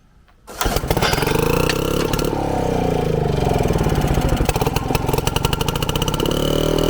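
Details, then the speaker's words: Frazer tiller, first run in 30+ years after installing and timing magneto ignition, 32:1 mix on 93 octane, spark plug removed before start: fires right up after short crank, steady buzzing run with clean even beat. "we got to put down the spark plug every time man it fires right up maybe that's the trick to this"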